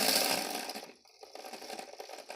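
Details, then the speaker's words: Hornby OO Flying Scotsman model locomotive, motor serviced, on a rolling road at a crawl; high whir winds down to a soft steady buzz with no stutter; owner thinks the magnet is weak; normal running at low speed. "Even at a crawl. I mean, I think the magnet's a bit naff, but that's full power."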